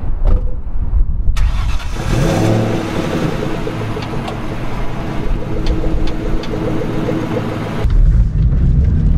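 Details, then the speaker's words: 1997 Mustang Cobra V8, 44,000 original miles: crank, quick catch, then deep even burble that climbs cleanly on throttle and settles back; healthy engine that sounds like a truck. "i mean this thing sounds like a truck oh i'm so happy to be back in a v8"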